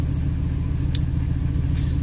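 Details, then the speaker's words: 1998 Ford F-150, 5.4L Triton V8, after fixing the vacuum leak that caused rough idle and stalling: steady, even low idle rumble with no misses or hunting. "that's pretty good and it sounds great"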